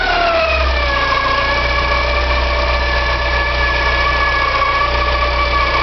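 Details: Porsche 944, 2.5 naturally aspirated 8-valve engine at smooth idle: steady high-pitched squeal and scraping, hard to locate but from the front; owner suspects oil pump or balance shaft, unconfirmed.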